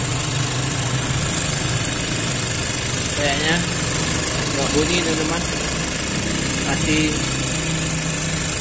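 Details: Mazda CX-3 at idle after blower motor repair (it had been making noise into the cabin with engine running): steady, even blower rush over smooth idle, no wobble, scraping or knock; blower motor now runs smoothly.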